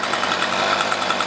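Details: Cheap light home two-stroke weed eater, choked and warmed up, idle screws already adjusted: fast, even putter that never climbs in revs, bogging attributed to a carbon-clogged muffler spark arrestor screen.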